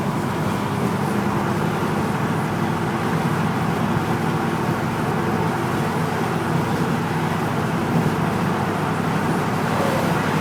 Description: The rattling sound I am experiencing going uphill on 208 in my 04 F150 but only under throttle.